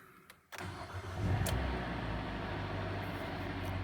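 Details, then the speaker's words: Hyundai Elantra 1.8 G4NB, 173,000 km, automatic FWD, first start after repairing piston scuffing and knock, on 5W-20 oil: brief crank, then a smooth, even idle with no knocking; oil pressure good. "Так, давление пошло, всё заработала машинка ровно."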